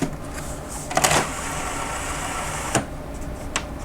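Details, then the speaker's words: DVD-R/VCR combo whose DVD tray came off its track after a cat landed on it, before the tray was reseated: even motor whirr with a few clicks, like trying to read a disc, but the tray never ejects. "and yeah it's it's in there it's not coming out it sounds like it's trying to read a CD which there is none"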